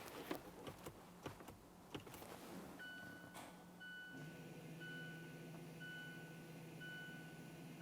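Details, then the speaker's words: 2014-2018 Mazda 3 after rear brake replacement, with accelerator floored, parking brake pulled and ignition tapped three times to cycle the electric parking brake. Soft clicks, then a faint steady motor hum. Rear actuators cycling normally. "While we're holding that and the accelerator pedal, go ahead and tap on that ignition switch 3 times, and we'll listen for the actuators."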